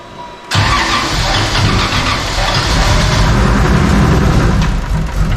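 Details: Toyota 2JZ inline-six, fresh premium fuel, previously running rich: catches then lumpy stumbling idle, needs throttle held to barely idle, cylinders dropping out; misfire from faulty ignition coils.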